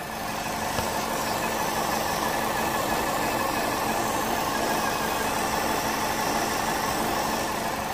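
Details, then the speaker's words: 2010 Vauxhall/Opel Astra J 1.6 idling at about 90 °C, running lean with P0171 and P0106 and surging: loud steady hiss of a massive vacuum leak from a split diaphragm in the breather. "I don't know if he can hear this vacuum leak there's a massive leak can you hear it"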